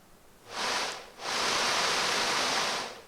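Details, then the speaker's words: 1990 Mercedes W124 blower motor after removal and lubrication to cure squeaking, drawing about 40 amps at 13.8 volts: smooth steady airy whoosh, no squeak or scrape; normal blower motor operation. "But it's nice and smooth in operation now, it's not making any noises."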